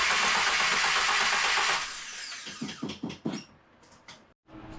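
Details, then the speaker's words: Subaru VA WRX with swapped FA24 engine, first crank with main body plug unplugged: steady, even whir of the starter, winding down with no grinding or scraping and no fluid leaks; normal cranking. "No fluids came out, which is great. Nothing sounded grindy or scrapey or bad."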